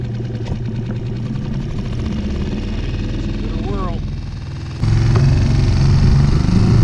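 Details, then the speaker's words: Circa 2020 Mercury 6hp four-stroke outboard after carburetor removal and jet cleaning for post-winter-storage stalling, sputtering and power loss; even steady putter with no stumbling, louder near five seconds, running good as new. "Running pretty good. Give it some more test runs. After cleaning it all up, she was running good as new and ready for our next adventures."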